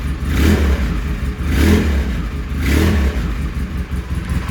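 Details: ATV. Deep, strong V-twin blips rise and fall about once a second with crisp throttle response and no misfire or knock: normal revving.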